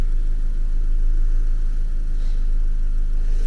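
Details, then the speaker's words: K12 Nissan Micra four-cylinder idling after front brake discs and pads were replaced and exhaust noise fixed; low even burble, no puffing or ticking; owner says new spark plugs might help. Normal idle. "exhaust noise is gone it sounds much much better now and uh is ticking over fairly nice"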